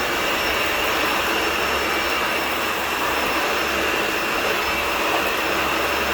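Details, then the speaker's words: Garage-sale Dyson Ball Total Clean (UP13) vacuum, first test run: even, steady roar with a constant high whine, no surging, rattling or speed wobble, unlike a new-in-box unit that sounds whiny and squirrely; motor runs normally. "so this thing actually runs better than the one I bought new in the box which is kind of crazy the one I bought new in the box the motor sounds really whiny and squirely for some reason this one sounds fine sounds like what I would expect a modern Dyson to sound like"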